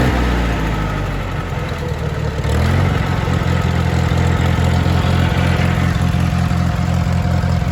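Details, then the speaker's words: International Harvester 424 utility tractor, 4-cylinder gas engine with an oversized carburetor jet, not yet at temperature. Steady, even low throb with a smooth firing beat at idle and no knocks or misses, with good oil pressure. Normal idle. "So you can see here we are idle. Got good oil pressure. It's not up to temp yet, but it runs really good."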